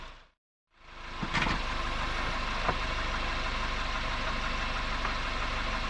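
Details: 2021 Suzuki Jimny Sierra JB74, noise since about 15,000 km, continues when warm: steady engine note with faint, uneven metallic rattles (gara-gara, kara-kara) under low-rpm acceleration, light load; dealer later found the cause and cured it.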